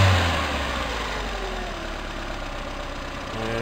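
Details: Toyota Tercel 4WD revved after timing belt, front seals and used water pump replacement; pulls up cleanly and eases back down with even steady note, no knocks or rattles; normal rev.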